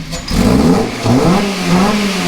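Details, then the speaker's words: Honda K24-swapped Toyota MR2, not yet tuned, big muffler: engine pitch climbs cleanly on each throttle blip and drops back without stumbling; healthy, crisp free rev after smooth idle. "yep idling pretty smooth sounds good I like it yeah that ain't noisy at all you think it would be but I mean this Muffler is pretty big Muffler so but when you get on it it definitely makes a little bit of noise I like it"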